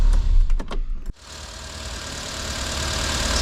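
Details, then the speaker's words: 1990 Renault 5 1.4 CAT, C3J monopoint engine, cold, idle control motor removed and idle set manually: smooth, even idle with a steady low hum and no misses; its rough running and stalling appear only when warm. "il y a maintenant un réglage manuel du régime de ralenti pour le ralenti [musique] ok, donc ça tourne essentiellement"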